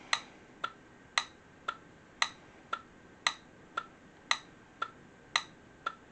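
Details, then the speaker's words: Automotive relay in a Temu relay tester, button pressed to cycle it: crisp, even clicks about every half second, clicking off fairly quickly; relay passed the test, operating normally. "And that relay passed the test. It does click off fairly quickly on this one, and it will automatically start if you turn it on like that."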